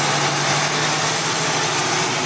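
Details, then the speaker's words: Diesel with fairly new turbo, boost leak or rubbing suspected: loud constant airy hiss over steady engine note; suspected air leak at turbo. "مجھے لگتا ہے کہ یہ یقینی طور پر boost leak کی طرح لگتا ہے۔ آپ اسے سن سکتے ہیں۔ سنا ہے؟ یہ یا تو ایسا ہے جیسے رگیں رگڑ رہی ہوں یا اوہ، کہیں سے ہوا نکل رہی ہے۔"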